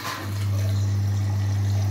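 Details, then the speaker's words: Electrolux EWS 1046 washing machine at the start of a wash cycle, filling through the prewash and detergent compartments: steady low inlet-valve hum with faint rushing water, even and unbroken, a normal fill. "набирание воды. Сначала зачем-то сюда прополаскивать, потом основная стирка с порошком вот здесь вот."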